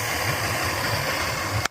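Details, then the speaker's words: Old Suzuki 150 outboard, long unused and in good shape: steady even idle with unbroken low thrum until cut off, running moderately clean; needs new batteries; normal idle. "But she's fired up. It's moderately clean."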